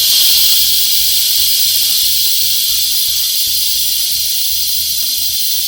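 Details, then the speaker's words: Volvo truck rear air suspension height control (leveling) valve, removed and operated by hand: steady hard air hiss that never shuts off at level; valve keeps dumping instead of closing, leaking, linkage appears loose. "See, it's keep dumping. It's not supposed to do it. So that level, the valve has to close."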